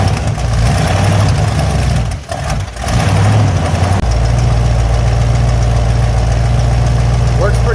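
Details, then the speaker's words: 1970 Cadillac Eldorado V8 after manual choke conversion: loping idle with low rumble and faint puffing tick; exhaust leak still present but much less, another leak on an elbow remains. "Still has an exhaust leak, but it's a lot less than it was."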